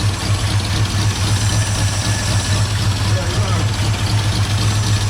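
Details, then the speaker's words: 1978 Ford Bronco, first start after sitting, loping idle coming off choke: sharp puffing tick on each exhaust pulse, about four per second; exhaust leak where the pipe attaches to the exhaust manifold, which tends to crack. "Well, where the muffler attaches to the exhaust Manifold. Yeah. It always did. It always will. Well, they crack, right?"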